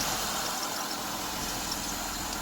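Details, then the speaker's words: 2005 Mazda Tribute 3.0, about 124,000 miles, wrecked rebuild just got running; coolant, oil and transmission fluid checked good: steady even idle, no misses, knocks or surging, smooth hum under fan hiss; healthy. "i got it running and i'll share how i did that in a minute but just to let y'all hear it run"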